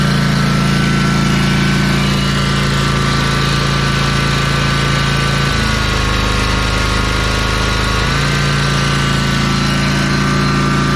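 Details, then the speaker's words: Ferris 52-inch commercial hydro walk-behind mower, twin-cylinder engine, after carb cleaning and replacing the bowl O-ring that was blocking a fuel jet: steady, even engine note with a brief dip that recovers cleanly, no missing or surging; runs well, huge improvement. "let's test this [Music] out that sounds pretty good oh that's a lot"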